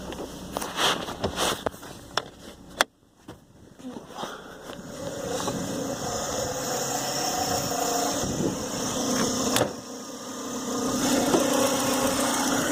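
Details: Renault Clio Sport 172 revved: a few sharp knocks then revs climbing with a rattly edge, knocking at around 3000 rpm; owner suspects bearings (likely) or a dead lifter, unconfirmed.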